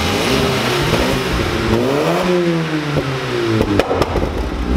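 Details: VW Lupo 1.8T with GT30 turbo after engine damage and rebuild (H-beam rods, new bearings, 2 mm head gasket): revs rise and fall smoothly with the throttle, no knocks or rattles; runs very well.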